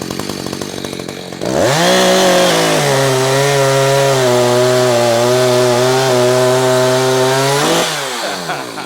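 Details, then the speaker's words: Echo CS-590 two-stroke chainsaw cutting wood after high-speed carburetor screw tuning, leaned out and then richened back slightly. It revs to a clean, steady high scream and holds pitch in the cut without bogging; healthy full-throttle running. "You see there, we are ripping."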